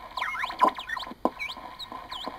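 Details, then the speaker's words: Morgan one-tube regenerative receiver, coil for 80 m band around 3.5 MHz: whistles sweep in pitch and jump as hand nears trimmer; regeneration comes in too harshly, worse at higher frequencies, hand-capacitance detuning. "how you hear that that's a regeneration control and notice how harshly it goes into regeneration now this regeneration problem becomes even worse at higher frequencies"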